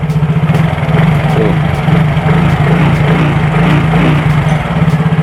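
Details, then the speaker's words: Yamaha Mio J that was previously noisy, smoking and seized, after cylinder block and piston replacement: a steady, even single-cylinder idle with no knocks or misses, like new; a slightly loose cam chain may be heard on the left. Normal idle. "tuh teman-teman suaranya bersih kayak motor baru ya padahal yang kita ganti di sini hanya bloknya saja teman-teman"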